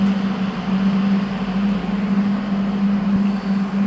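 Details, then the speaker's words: HL 1060Z 100W CO2 laser cutter water chiller running after power-on (green LED lit): a steady low hum at a constant tone with fan rush over it, no knocking or rattling. The compressor is healthy; air blows from the back. "And then power on the water chiller. The green LED lit and the water chiller start working. We will hear the sound from compressor."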